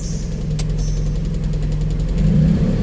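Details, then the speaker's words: Daihatsu Charade with an AC delay module fitted so the idle-up rises before the magnetic clutch engages; steady low engine drone turns heavier and deeper after two seconds as the AC clutch pulls in and loads the engine; normal compressor clutch engagement. "nah naik Nah itu baru ada suaranya berat itu baru magnet telurnya aktif di seperti itu"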